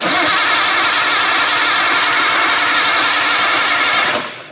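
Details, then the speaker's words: Nissan R32 Skyline barn find, freshly reinstalled RB20DET turbo engine, first start attempt with CAS just plugged in after priming oil pressure: fast even cranking about four seconds that never catches; crank no start, no fuel delivery, feed and return fuel lines swapped. "That did not sound at all like it wanted to go."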